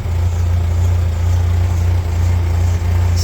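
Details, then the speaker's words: 1994 Ford Ranger 2.3L four-cylinder after hose replacement for rough idle and new starter: steady low idle rumble with uneven puffing beat underneath; exhaust leak, louder than it should be. "oh yeah got a nice exhaust leak but I really don't care because where I live I don't have to smog nothing man that's that's leaking a lot more than it"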